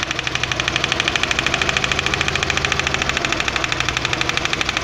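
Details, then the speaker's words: Fourth-generation VW Jetta 2.0 losing power badly: choppy idle with steady stumble; pulling one spark plug wire changes nothing, so that cylinder is not working. Misfire, dead cylinder. "Vean, ya lo quité el cable de la bujía y el carro falla exactamente igual, o sea, no está trabajando ese cilindro."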